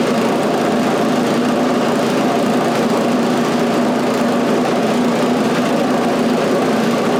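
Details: Scrap snowblower's small single-cylinder engine after a new carburetor fit reusing the old throttle shaft and butterfly: a steady, even drone holding speed cleanly, no misses, knocks or surging; normal running.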